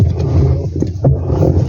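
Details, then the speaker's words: LG twin-tub washing machine, very noisy while washing: deep rough growling rumble with uneven knocks; transmission found destroyed, to be replaced. "Bueno le vamos a reemplazar esta transmisión parece está sonando un poco rara y bueno la vamos a reemplazar Uy está destrozada si está bien mala"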